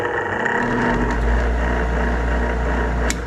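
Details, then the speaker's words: Nine-year-old Trane forced-air furnace draft inducer motor restarted as a temporary fix after it failed to fire: loud steady hum with a coarse, uneven buzz; rough-running inducer motor awaiting replacement. "right it does not sound good but at least we've got a temporary fix"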